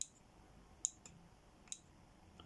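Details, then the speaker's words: Citroen C4 tailgate release microswitch, removed and pressed by hand: crisp, sharp single clicks in a quiet room; switch actuates normally, though the faulty button lets the tailgate pop open with central locking. "But you should hear the clicking sound."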